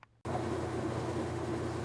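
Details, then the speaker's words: Kenmore top-load washer after repair of a no-spin, clicking fault (part under the machine replaced): starts and runs with a steady, even motor hum, no clicking. "as you can see it works beautifully"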